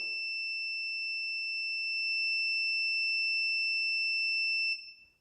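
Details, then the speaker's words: Electric dryer that stopped working and won't start, thermostat tested for continuity while heated: steady high meter beep holds, then cuts off cleanly as the part heats and opens; thermostat opens when heated, normal. "It's making that noise. Now when it gets hot enough, it should come open. Let's try if that noise it will stop."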